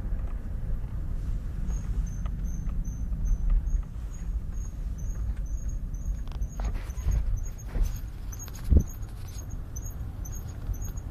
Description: Squeaking noise stops when braking (Replacing the brake pads fixed the issue)